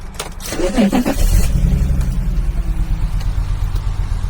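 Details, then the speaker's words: BMW E46 330Ci convertible after cranking and catching: uneven, lumpy, stumbling idle and bad shaking, with a mass sensor code showing. Speaker unsure of the cause. "And it's still misfiring. It's firing, but it's not a real misfire. It's just I don't know why it's shaking badly."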